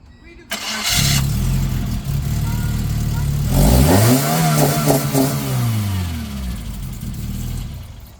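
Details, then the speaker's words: 1996 Geo Tracker 1.6L after timing belt job, timing set on piston #4, new injector and fuel filter: brief crank, catches, then a smooth clean rising rev that settles back; firing even and healthy; normal start and rev. "that's it see see I told you it cranked up"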